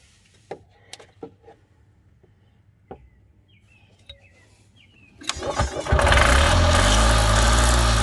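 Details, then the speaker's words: Columbia Parcar (Freightliner-badged) golf cart that would not turn over and was said not to get fuel. Old gas still in tank. Catches after a few clicks and settles into a steady, even low drone with no misses, oil smell present: normal idle. "it runs and I can smell the oil, so it's definitely getting oil."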